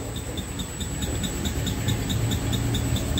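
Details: VW Passat, customer complaint: a light, steady ticking of about 4–5 per second over a low chassis rumble from the front suspension, traced to the wheel area with a Ruidcar listening tool. Exact cause still unknown.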